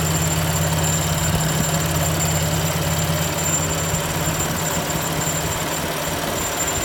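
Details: BMW M4 at even, low idle with a thin, steady high-pitched squeak over it. Source of the squeak unclear.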